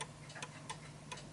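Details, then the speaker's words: Vintage British Bentima/Perivale Art Deco 8-day Westminster mantel clock, deliberately tilted off level: ticks come in uneven pairs, ticking more than talking; the clock is out of beat and comes to a stop. "so it's ticking more than it's talking and the reason why it's doing that is because it's uneven and it will come to a stop"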